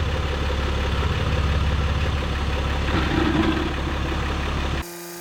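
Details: 2023 Jeep Gladiator Rubicon EcoDiesel after fuel filter replacement and priming: steady diesel clatter at idle with an even beat, no stumbling or hunting, then shut off; idling normally.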